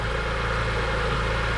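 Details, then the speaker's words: E46 M3 first start after an oil change on an overfilled engine, smoky, accessory noise loosening up: smooth, even idle pulse with a deep steady exhaust note, no skips or stumbles, no misfire at idle. "a single misfire pretty happy about that just a little we're gonna give a little bit of gas"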